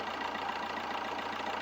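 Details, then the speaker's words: Rebuilt Fiat 1.3 litre engine idling after rebuild: smooth even idle with steady low hum, no knocking or misses, no blow-by smoke; sounds like a brand-new engine. "मतलब एकदम brand new engine जैसा हो गया है। आवाज़ आप भी सुन सकते हो कितना मस्त आवाज़ आ रहा है,"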